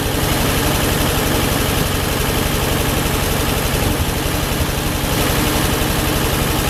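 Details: Ford 8N tractor, new battery, rewired from a three-wire to a one-wire alternator setup: loud, even, low-pitched idle with a steady beat around four per second, no misses or knocks; idling normally.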